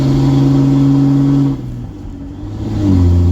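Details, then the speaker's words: Ram 2500 diesel hauling 9,500 lb after replacing a clogged fuel filter; strong steady pull rising with road speed, brief dip at the shift into third, cruising toward 73-75 mph, fuel pressure good. Normal acceleration. "There's third. All right, we are back in business. We're just cruising."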